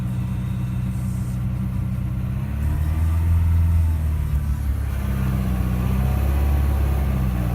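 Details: Audi A4 2.0 TDI CR (CAGA) diesel at idle: surging, swelling and sagging with deep uneven vibration; caused by faulty fuel pressure regulator valve at the common rail end, part 057130764H replaced.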